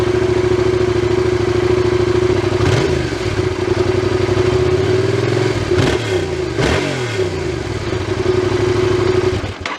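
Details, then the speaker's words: Yamaha XSR700 (CP2 twin) revving up and down in sweeps: a whirring, loose metal-on-metal rattle from the exhaust comes in at higher revs, as if a rivet is loose; the cause is suspected, not confirmed. "There's a whirring sound from the exhaust, as if a rivet is loose, it sounds like a rattle. rattle, metal on metal, like a rattle, rattle, rattle,"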